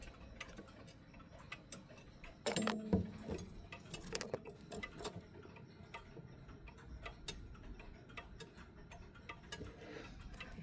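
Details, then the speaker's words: Dual chime mechanical clock hung and levelled on the wall but out of beat at start-up: quiet ticking about eighty tick-tock pairs a minute with unequal gaps. "It will sound the tick will sound like that. Sometimes it sometimes it will not even tick at all. Now now that's c now that's um now that's caused and happening because the clock is not in beat."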